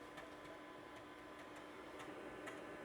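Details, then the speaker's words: Packard Bell PB 4220CD 1990s PC, original Matsushita CR563B CD-ROM drive copying files, slow but working: quiet steady spin with light regular ticking about four a second as the head tracks; reads cleanly. "It sounds healthy enough. And we have success."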